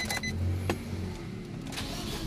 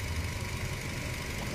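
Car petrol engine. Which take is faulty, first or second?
first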